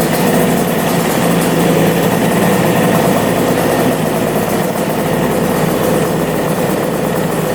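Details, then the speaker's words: Engine with two carburetors after a cold start: even, steady idle with smooth exhaust pulse, no misfires, hunting or knocking, now running on both carbs after the right carb had seemed unused. "yeah running good running on both carbs that sounds so good"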